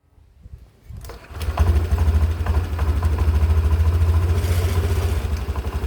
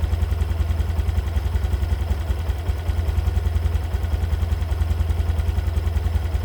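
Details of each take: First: 2022 Honda Beat Deluxe scooter, CVT never serviced in 2 years: starts and idles with loose, uneven clattering rattle, caused by broken slider piece and worn roller housing; quieter after replacing CVT parts. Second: 2022 Honda Beat Deluxe scooter after first CVT service: new V-belt, roller housing, rollers, slider pieces, regreased; earlier clattering caused by broken sliders, not con rod. Now steady even idle, quick regular pulse, smoother, no knock. Normal CVT running.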